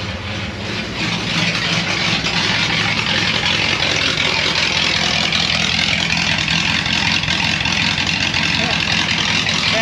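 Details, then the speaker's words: 1937 Ford 59 AB flathead V8 with straight-pipe dual exhaust and recored radiator, warming up at idle with oil pressure near 30: a loud, raspy, lumpy but even burble, no knocks or misses. Adjustable lifters; owner unsure whether it has a cam. Normal warm-up idle. "wow this thing sounds awesome i don't know uh i know it's got adjustable lifters i don't know if it's got a cam it or not the idle seems awful lumpy for if it's got a stock cam"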